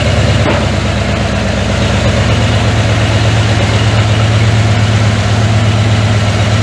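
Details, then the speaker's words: 1981 Ford F100, revived after sitting 24 years and due for a rebuild: rough deep idle with a steady knock about three per second over the exhaust; worn bearing knock. "she still knocks like I don't know what to man that sounds terrible"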